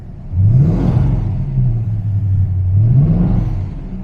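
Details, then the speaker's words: TVR Griffith 500 V8, warmed up on fresh fuel with injector cleaner, idling in neutral: deep, lumpy, uneven beat with an occasional dropped firing stroke. One cylinder misfiring intermittently at idle; new ignition components to be fitted. "idling runs pretty all right it's missing on one cylinder every now and then but I have all new ignition components for it and some things so let's pull into workshop and we'll have a look"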